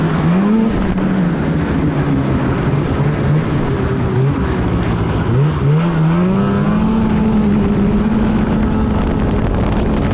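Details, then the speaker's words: 2016 Polaris Indy 600 SP two-stroke snowmobile, poor-snow test ride before fuel filter fix: rises, falls back, hesitates, bogging and dying out at half throttle, only about 6200-6400 rpm; clogged fuel filter starving it. "even just a test right over here yeah half throttle this thing is bogg and dying out"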